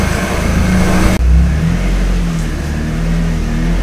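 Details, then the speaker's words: 1999 NB Miata just fitted with a Jackson Racing M45 supercharger; engine revs then drops back to a steady low hum with an odd drone; source unknown, owner doubts it's a bearing, noise going away. "I don't understand what that noises I no idea it definitely don't green intake no seriously I feel like it was a bearing or anything you would hear it constantly"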